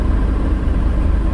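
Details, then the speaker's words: 1990 BMW 535i E34 inline-six, first start after about two years sitting and a fuel change: a smooth, even low idle with a steady rhythm and no misses, knocks or ticks. The engine sounds healthy. "I's hope it doesn't turn off like last time but man it's sounding pretty good wow she's smooth this is after 2 years"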